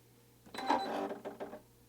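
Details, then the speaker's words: Brother embroidery machine on power-up with thread cutter previously stuck extended: brief one-second whirr and soft mechanical clicks as it runs its startup cycle, retracting the cutter; startup sequence normal. "okay so that just retracted as it went through its startup cycle"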